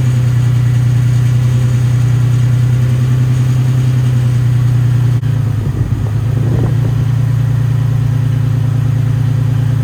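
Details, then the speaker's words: Nissan 350Z drift build, six-cylinder, warming to temperature, no leaks: loud low drone with uneven pulse and a stumble midway, sounds down a cylinder; uneven idle, owner suspects coil pack, unconfirmed. "i don't see any leaks nothing seems too out of place but it sounds like maybe it's missing a cylinder or just misfiring a little bit it's probably like an uh coil pack or something"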